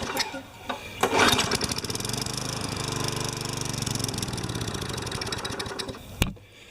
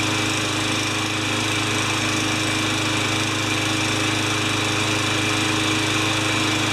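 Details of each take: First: Craftsman 20 inch side-discharge mower, just washed: catches after a pull, runs rough about five seconds, then dies. Starts and stalls; needs a carburetor clean. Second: Craftsman 20-inch side-discharge mower on clean gas with a new air filter, oil change still pending, runs with a steady, even drone at constant speed, no surging, misses or hunting; normal running.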